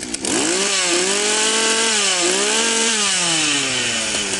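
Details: Partner P352 chainsaw after ignition module replacement and gap set (previously no spark, no start): starts cleanly, revs up and down smoothly with clear buzzing pitch following throttle, no misfire; normal running.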